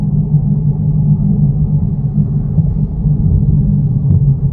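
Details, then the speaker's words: 2009 Toyota Yaris driving on the road: steady low droning hum from the rear under road noise, no knocks; rear wheel bearing suspected despite the car having only covered about 50. "nah ini kerasa banget bunyi wuwuh itu dari belakang kemungkinan ini bearing nya ya padahal cuman lari 50"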